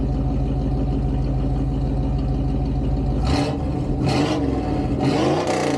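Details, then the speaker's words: 1988 Pontiac Firebird V8 with shorty headers, Edelbrock 1406 carb and Performer intake, just revived after a long time parked. Steady V8 idle rumble with a few light throttle blips that drop back cleanly; it runs pretty good, normal idle. "Yeah, you know, as pops up as the throttle body is going to get. So, it runs pretty good."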